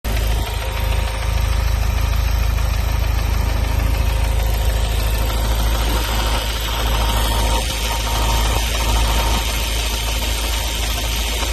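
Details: Ford Focus RS Mk3 idling: a light, fairly regular tick of about three a second over a deep rumble; the source is unknown.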